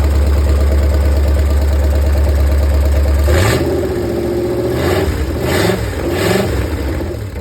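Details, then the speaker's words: 1964 Chevy 283 small-block V8 in a 1981 Jeep CJ-5, first start after priming the carburetor: a deep, lumpy idle with several clean, sharp throttle blips; rowdy but normal, no audible vacuum or fuel leaks. "too oh yeah that thing is Rowdy sounding no vacuum leaks that I can hear no fuel leaks so that's good"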